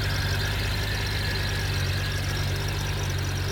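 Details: 1997 Honda GL1500 SE, 56K miles, idling with clutch fully released: soft wind-like whoosh that turns to a high whine at slight clutch pull and disappears by 4%; clutch fluid low; cause was a debris-filled slave cylinder, cleaned and bled.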